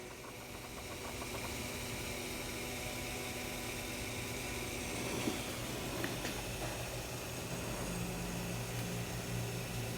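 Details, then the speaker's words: 2000 Peugeot Partner with crank no start: with a signal generator feeding a known good crankshaft position signal into the harness, the engine fires and settles into a steady, even, smooth idle with no misses or knocks; normal idle. "now let's send the signal into the wiring harness and right away you hear the engine coming alive and just look at this"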